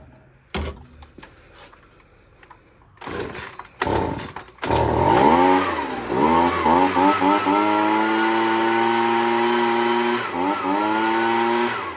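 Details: Husqvarna 125B leaf blower after replacing its carburetor with an aftermarket kit: a few pull-cord tugs, then the two-stroke catches, revs up and settles into a steady, even high buzz; running properly.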